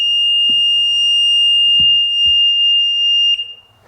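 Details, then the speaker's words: Sea-Doo GTX DI 951 on diagnostic software: loud continuous high-pitched beeper about three seconds then cutting off; wiggling wires makes MAG throttle position sensor reading jump around 80s, faulty connector with a rusty pin, to be cleaned. "Look at the mag um throttle position sensor at 80s. So when I wiggle the wires up here, watch that those numbers. That connector's messed up."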